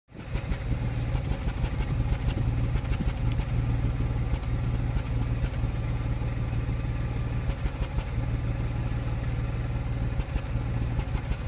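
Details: 2005 Land Rover Freelander V6 petrol idling with deep rumble that stumbles now and then; intermittent misfire untraced despite new plugs, good coils and new MAF.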